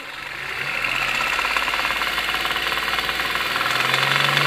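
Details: 1993 Geo Metro engine at idle after a Seafoam treatment: rapid, uneven tapping about four per second over a thin, rattly idle; a knock has developed and its cause is not pinned down.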